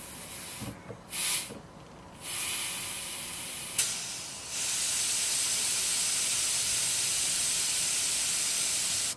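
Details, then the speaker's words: 2007 Volvo XC90 D5 that cranks but won't start, its Bosch CP3 pump not delivering to the rail: suction control valve removed from the pump but still connected to the ECU, ignition on. A sharp air hiss in bursts, then steady, shows the valve is working. "so that's the um the the value is working isn't it"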